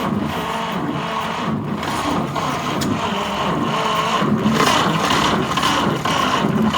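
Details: 1946 Chevy pickup straight six, sitting in a barn since the late 1980s, first start attempt: steady starter cranking with only the odd weak firing pulse; barely catches, consistent with an exhaust valve stuck open.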